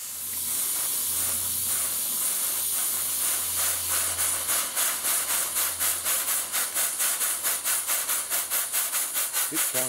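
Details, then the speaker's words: Steam pump built by a friend, running: a steady hiss with evenly spaced chuffs about two per second, like a small locomotive; the valve events are very even and it is running normally. "sounds like a locomotive. It does, yeah. With very even valve events."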